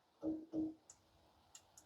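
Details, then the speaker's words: Woodmaster Cleanfire outdoor wood boiler door switch during fall cleaning: two soft clunks as the door moves, then crisp ticks of the switch actuating cleanly; working now though it failed last year. "Sounds like it's working good now. Last year, for some reason, it didn't."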